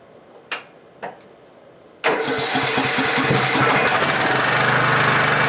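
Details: Husqvarna LTH 1542 lawn tractor after a drive belt change, not started for 5 or 6 days and starting on the third try. Two short cranking bursts, then a steady, even single-cylinder idle. Starts and runs cleanly.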